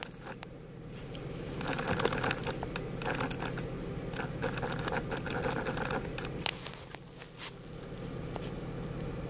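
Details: 2005 Honda Pilot HVAC air-mix (blend door) actuator above the passenger's left foot behind the center console: intermittent scratchy chattering and ticking over fan hum; removing and cleaning the motor stopped the noise.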